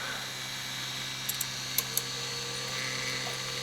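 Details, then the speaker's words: Konami M2 arcade board disc drive after rust cleanup, first power-on: thin high whine of disc spinning up with sharp seek ticks; drive tries to read but reports hardware error, a board chip suspected. "okay not bad sounds like the dries doing"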